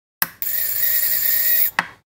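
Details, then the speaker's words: Ultrasonic dental scaler from a vet clinic after repair with a new coil, running at 33 kHz with the tip connected: a click, then a steady high-pitched hiss and even whine with a clean cutoff; working normally. "So it's working fine. The device is done and it's working."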